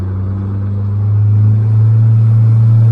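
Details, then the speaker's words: Outboard motor at low throttle under load, labouring below its efficient rev range with a hard, deep straining drone; adding throttle brings in a zinging sound at about 5,100 rpm, the fuel-efficient sweet spot. "You can hear it's got a really hard labouring drone in it."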